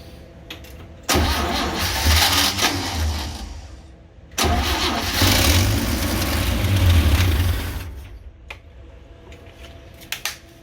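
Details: 1966 Chevy G10 van on starting fluid: two long, labored, slow cranking bursts that never catch cleanly; owner suspects a weak battery or a bad starter.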